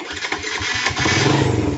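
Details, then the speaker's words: Yamaha Vega ZR motorcycle engine with a very rough "wak-wak" knocking clatter over a lumpy idle, much like a rod knock; the cause turns out to be loose starter housing bolts. "di sahabat dog kendala motor ini bunyi mesinnya sangat kasar seperti ini bunyi wakwakwakwakwak"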